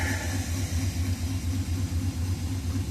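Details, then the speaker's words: 1964 Pontiac Catalina, first start after a new ignition switch install: deep, lumpy idle with uneven low thumps about four a second, wavering rather than settling; idles rough, thought to be because it is not on fast idle. "really running rough, which means I'm not at fast idle, I guess."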